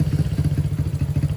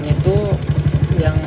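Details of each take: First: Honda CB100/GL100-based custom fitted with a CPO PE26 26mm carburetor on stock pilot and main jets, air screw and needle still being adjusted: lumpy, irregular fast-idle chugging. No intake leak is apparent, but the mixture is not yet right and it restarts poorly after shutdown. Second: Honda CB100/GL100-based motorcycle single-cylinder after fitting CPO PE 26mm carburetor and plugging a fuel-hose line near manifold, idle raised slightly; even steady putter, no misses; starts easily, normal idle.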